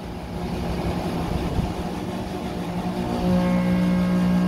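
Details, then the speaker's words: Condenser fan motor, replaced: runs full speed, then as the coil cools it stops dead and locks, rushing air giving way to loud electrical hum; faulty ICM fan speed control board, which killed the previous motor. "just stops dead and locks up and starts to make this noise that's what killed the last motor that was in here"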